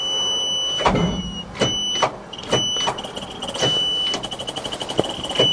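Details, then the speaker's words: Cold start of a 427 dump truck with 64,754 indicated miles, choked and gas pumped, in neutral: the starter drags in slow, uneven heaves, then spins faster without catching. Slow cranking blamed on a weak first battery. "It looks like I chose a shitty battery."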